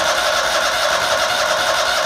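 Steady, even small-engine run with no misses, surging or knocks; the mower engine is running normally.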